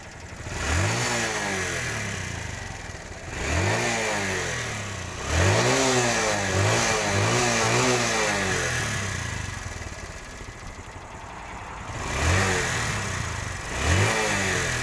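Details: TVS Star City 110cc bike after carburetor and spark plug adjustment cured its exhaust popping and misfire on throttle release: repeated blips rise and fall cleanly with no backfires on the overrun.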